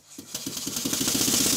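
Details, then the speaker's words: Restored Stuart beam engine running on compressed air, after fitting a silicone O-ring to the piston and adjusting the valve timing: quick, even air chuffs speeding up smoothly and quietly with no knocks, running normally. "to indicate how quiet the engine is i spoke to the camera when i was filming how quiet is it well i'll just speak next to the camera i think you'll hear that it's running fairly quietly"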